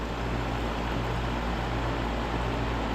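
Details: Goodman heat pump outdoor fan motor, with a customer complaint of loud clunking; the roof drains ice onto the unit. Steady, even fan rush with a low drone, only clicking noted and no clunk this run; the fan sounds normal.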